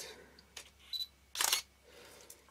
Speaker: if i zoom out to 18 it has some kind of noisy and there is something inside that actually and the front is actually a bit loose